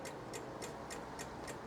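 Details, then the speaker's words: Old Honda DIO 50cc scooter with dead battery, ignition on: quiet rapid clicking about 3.5 per second with no cranking, while the kickstart works; the battery is weak and gets replaced. "It is clicking sound. Nothing's working. The kickstart works."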